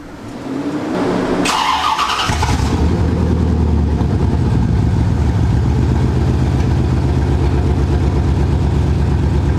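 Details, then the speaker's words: C4 Corvette running with mufflers removed, only catalytic converters left: cranks, catches and settles into a loud, deep, lumpy burble; engine running fine on open exhaust. "listen to that that's how this thing should should uh should sound"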